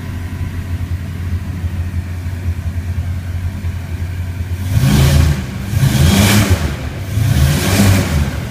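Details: Rotec R3600 radial engine on test-stand dyno after mixture leaning and magneto checks; idles with steady low throb, then picks up smoothly through a few throttle blips, running clean and healthy.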